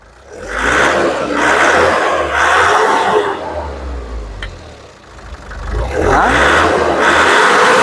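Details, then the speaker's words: Nissan Urvan E25 with ZD30 diesel and VP44 fuel pump, suspected of fuel pump problems. The engine picks up cleanly on repeated rev blips, rising and falling smoothly with no knock or rattle, and is responsive while the check-engine light is being checked after a reset. "Ya, kita rest, tengok engine. Kita rest, dia ada keluar check engine, dia pun responsif."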